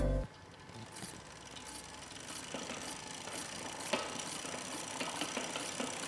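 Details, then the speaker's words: Road bike disc brake rotor deliberately set rubbing the caliper, giving a light rhythmic swish about once per wheel turn while spinning; fixed by loosening the caliper bolts, squeezing the brake, and retightening. "这个声音应该是比较好判断的，但是我要讲的是解决这个问题的方法。"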